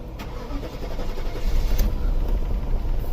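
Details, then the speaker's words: 2001 Audi A8L 4.2 Quattro that died while driving: after start, lumpy uneven rumble surges and sags, runs rough a few seconds then shuts off; lean on both banks, fuel issue suspected. "it'll start run for a couple seconds rough and shut off sometimes you can get it to run for like 30 seconds yes I think we're going to choosing a fuel issue"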